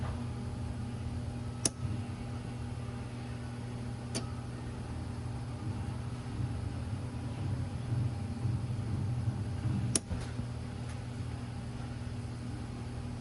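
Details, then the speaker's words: 2015 Mazda CX-5 with P0442 evap leak code: over a steady engine hum, sharp single clicks seconds apart as the evap vent valve solenoid is commanded on and off by scan tool; solenoid responding. "You should actually hear it click when we command it on and off."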